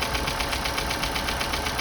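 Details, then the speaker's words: 2012 Chevrolet Cruze 1.4 turbo, first start after head gasket repair and new turbo, lifters reinstalled without soaking in oil: quick even ticking at idle in time with the engine; expected to fade after minutes or a few heat cycles. "it's quite a bit of picking I didn't soak the liers in oil before I reinstalled them which I should have but that noise should go away after a few minutes maybe one or two heat Cycles even"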